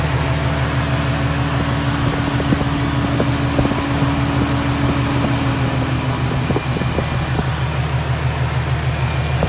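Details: Infiniti/Nissan VQ37 (Q50/G37/370Z) after a serpentine belt replacement with a Gates K070795 belt: an even, steady idle with a smooth low drone and no belt squeal or chirp; the engine runs cleanly at rest.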